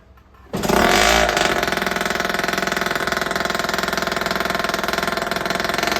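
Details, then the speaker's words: Yamaha Jog scooter before Stage 6 70cc big bore kit install, still 50cc with ported cylinder and exhaust: fires after a brief crank, then a buzzy, crisp two-stroke rattle holds steady with quick rev blips; healthy running. "Should we do a little startup before? Definitely. So they can kind of hear it. This is the before 50 ported, exhaust ported as well."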